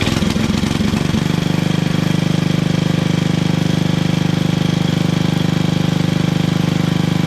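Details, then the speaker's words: Toro 58-inch professional 3-gang reel riding mower, after unseizing blade PTO, first test: short rough start then smooth even steady beat about 214 per minute, no grinding; normal running. "Oh, yeah, it works."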